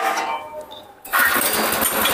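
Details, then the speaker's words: Blitar-made multifunction chopper (forage/grass shredder) small engine, recoil start with the fan belt loosened for an easier pull, belt re-tightened after starting: quiet, then catches at once with a steady buzzy note; normal, easy start. "Langsung bunyi kawan-kawan. Nah, itu setelah mesin bunyi ini dikencengin."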